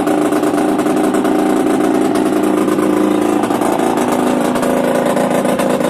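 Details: Yamaha DTR 125 two-stroke, engine from a 2007 electric-start bike, first start after new unrestricted Gilera SC CDI, new seals, powervalve fully open, 240 main jet, Big One exhaust; crisp even crackle through idle and blips, no misses or knocks, normal running.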